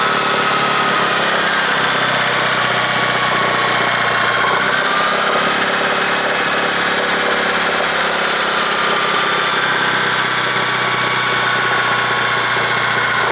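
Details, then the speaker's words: 1996 Honda Accord (CD7) jump-started after sitting: idle drifts up and down over a steady hum with a valve train noise; hunting idle likely from the idle air control valve (IACV), which often just needs cleaning. "And then as you had heard, it has the up and down RPMs. That's more than likely going to be coming from the IACV."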